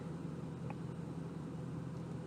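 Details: Jaguar XK8 V8 at idle: low, uneven, lumpy stumbling idle; cylinder six misfire (P0306, P1314) from a failed ignition coil.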